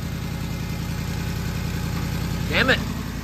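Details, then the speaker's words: Lexus LS430 with overhauled V8 and swapped transmission, first start after reconnecting ECU connectors: steady idle with a rhythmic chuffing tick of an exhaust leak, stuff burning off with smoke. "it's running woohoo wonder where that exhaust lake is from hopefully it's not the what where is that coming from"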